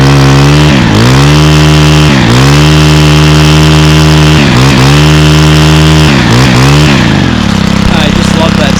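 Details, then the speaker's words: Stihl 27cc two-stroke trimmer (same engine as FS38/46/55) started on second pull: buzzy revs climbing and dropping cleanly through several quick blips without bogging, like an ATV; normal revving. "Sounds like an ATV actually when it's being revved."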